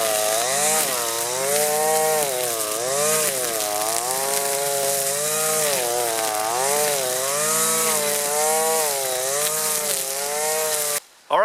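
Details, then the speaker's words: Husqvarna 525L string trimmer plunged into the thickest pond-edge grass: steady high two-stroke buzz sagging briefly at each bite, slight bogging, then recovering; healthy engine under heavy load. "that's actually the thickest stuff that I've done so far with this trimmer and I think it did really well you could probably hear it getting bogged down a little bit but that's because I was just plunging it in all the way"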